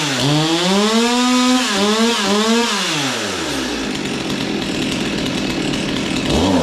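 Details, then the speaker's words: Stihl 200T chainsaw: revs climb and sag unevenly, then stumble and fall away instead of holding; loading up from carburetor issues, needs carb clean or possibly new carburetor. "yeah and that one uh it's having carb issues you can tell loading up so I think there was some gas left in that one so that'll need a car clean or possibly new carburetor"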